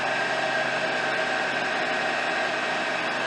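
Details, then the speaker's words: 2005 Honda Accord 2.4 K-series after alternator replacement (old alternator noisy from power steering fluid leak): smooth, even idle with steady hum, no whine, rattle or knock; engine quiet and healthy. "Nice quiet Honda engine."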